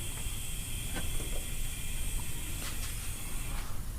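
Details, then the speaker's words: Toyota Supra being prepared for dyno tuning, boost leak test at about 35 psi. Constant sharp, steady hiss of escaping air from a loose intake coupler clamp; after tightening, it held 37 psi without leaking. "all right now we cranked it up to 35 ish should be working with oh oh night here that sounds like some shit's about pop well found one i guess i'll keep going to see if i can find more"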